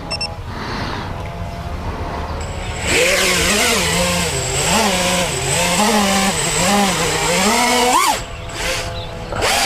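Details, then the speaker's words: FPV quad re-flown with regular props after a fall out of the sky: motor whine climbs and dips smoothly with throttle punches, steady with no buzz or wobble; earlier problem believed to be a prop. "it seems fine I think it must have been a prop"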